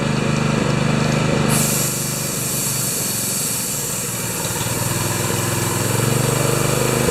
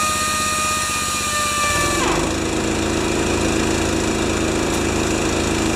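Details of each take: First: Honda-powered wheelbarrow air compressor No. 3, revived after sitting for years; the carburetor idles poorly. It drones at fast idle with a thin, steady squeal; the owner suspects the newly fitted V-belt has a different profile and squeaks. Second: Honda-powered wheelbarrow air compressor 'Jenny 1' after an oil change, adjustments, new Kevlar belt, new gauge and output switch. After a brief whistle it settles into a steady, even drone with the pump chugging smoothly: running fine.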